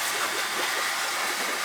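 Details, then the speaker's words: Newly installed replacement oil boiler, zones being purged, circulator pump: steady hiss and gurgle with no motor hum underneath, air rushing through the water, felt by hand; trapped air still purging through the circulator, no leaks. "You hear all the air coming out of it. You can just hear the air. Put your hand on it, you can feel it too."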